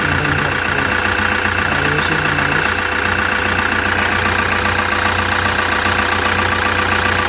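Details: Toyota Hiace with 2kd diesel engine, restarted and starting on one click: steady diesel clatter at an even idle, about two and a half beats a second, no misses or stumbles; running normally.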